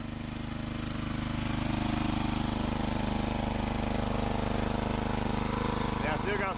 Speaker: That's just at a idle. We're not in a panic here. It's putting the pressure on.